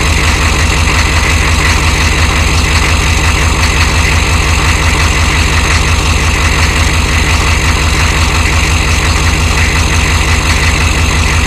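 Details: 1993 Chevy dually 6.5L turbo diesel 4x4, smoky cold startup without block heater: loud idle with a sharp, regular knock about three per second over the clatter; engine knock at cold idle of unknown source.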